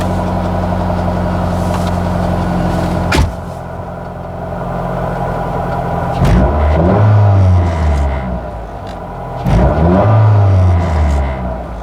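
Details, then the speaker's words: B16-engined Nissan Sentra rallycross car with stiffer torque mount insert, recorded inside the cab: heavy low drone and rumble swelling with each throttle blip; mount transfers excessive engine vibration throughout the cab. "Yeah, definitely transfers a lot of vibrations all throughout the cab."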